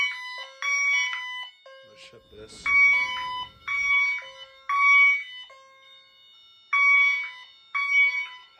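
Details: Honeywell Wave sounder driven by a chime tone driver connected to the LINKS, tripped via smoke detector during fire alarm system test; short bright two-tone chime bursts repeating every second with quiet gaps: normal chime tone.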